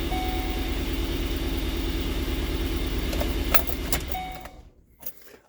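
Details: Truck not run for a while, test-run after a mounting repair, with 4x4 low and dash lights still to diagnose. Steady, even rumble for several seconds before shutting off; no misses or knocks, runs normally.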